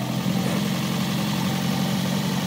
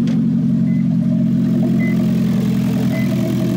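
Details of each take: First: 2009 Toyota Prius after catalytic converter replacement with a new 49-state legal unit, temporarily fitted pending welding: steady low rumble at an even idle with no ticking, rattling or exhaust leak hiss; engine idles smoothly and evenly. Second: 2009 Toyota Prius idling after its catalytic converter was stolen overnight while street-parked: loud, raspy, unmuffled drone, far too open for stock. Loud exhaust from missing catalytic converter.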